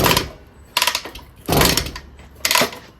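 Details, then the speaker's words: 1974 Indian JC54 with Minarelli P4 engine, original condition, compression test while kicking over at full throttle; reads about 125, needs over 90 to run. Three or four swishing kick strokes with firm resistance, no firing; good compression. "Yeah, so we're at like a 125, I'd say. We got a runner. I'm pretty excited about that."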